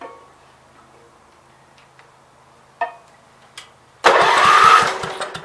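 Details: Starter turns the 526 tractor engine over with a few clicks then slow, even chugs but it never catches; no spark from dirty ignition points, which are cleaned afterward to restore spark.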